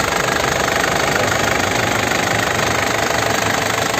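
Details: 2009 Isuzu Panther LS Turbo diesel, manual, engine described as sound: even, steady idle clatter with no misses or odd knocks; no smoke from the oil filler; healthy, smooth, crisp-sounding diesel idle.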